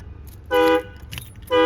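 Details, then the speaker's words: Autoshield aftermarket remote start alarm deliberately triggered: a loud pulsed siren in repeating bursts about a second apart; turning the key to ignition on and pressing the antenna button once stops it. "Alright, I'm about to make it go off, and all you have to do is follow exactly what I'm about to do, and it's gonna stop it from going off."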